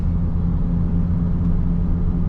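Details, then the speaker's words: Ford Expedition 5.4 3-valve 4x4 driving at speed: rhythmic low humming, helicopter-like drone among tire noise, pitch changing when turning; worn left front wheel bearing suspected. "okay I hear a couple noises kind of a rhythmic humming noise that actually sounds like a tire sound now I do hear a change in Pitch when we turn a little bit that does indicate a potential wheel bearing problem"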